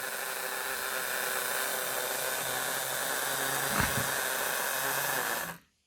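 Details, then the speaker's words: Old analogue model railway locomotive with a known slipping motor, run under power: a steady, raspy electric buzz over a faint hum, cutting out as it struggles. Worn motor brushes are suspected, and an overhaul or new motor may be needed. "We have got a buzzing noise. Oh, she's cut out. Maybe she just needs a little bit of a nudge persuasion. Oh, it is moving. She's struggling. It sounds like the brushes may have gone in the motor. Oh, that does not sound healthy."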